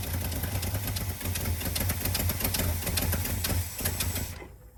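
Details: 1985 Chevy C20 after 10+ years sitting, with a new mechanical fuel pump, new inline filter, siphoned tank and cleaned carb: slow, loose clattering idle about two and a half beats a second, then it dies; idle set too low, needs adjusting.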